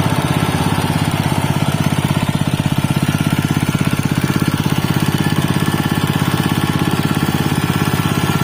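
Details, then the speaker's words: Robin Subaru EX21 7 HP 211 cc air-cooled four-stroke OHC single-cylinder engine, used not new: quick, even putter with steady rhythm and no knocks, misses or rattles; runs smoothly and healthy. "Hai seperti itulah tadi temen-temen bunyinya dari Robin ex21 ya walaupun bukan dalam kondisi baru tapi terdengar suaranya itu masih sangat halus yah"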